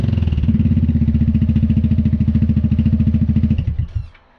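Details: Newly mounted Dominator exhaust with a remade medium baffle on an MP3 500: deep, even exhaust thump at steady revs with no internal rattle in the silencer, then a clean shutdown. Normal running exhaust.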